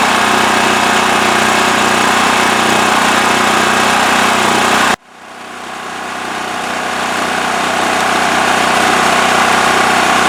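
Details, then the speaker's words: Westinghouse WH7000EC 7000 W electric-start generator with plugged spark arrestor removed from exhaust. Steady, even drone at constant speed, no hunting, surging or knocking; normal idle. "All right, so it's running pretty good, as you could see."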